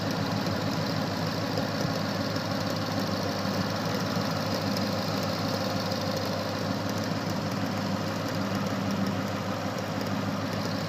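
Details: 2013 Mustang 5.0 V8 idling steadily with a light, uneven ticking like popcorn popping, about three a second; owner doesn't know the cause.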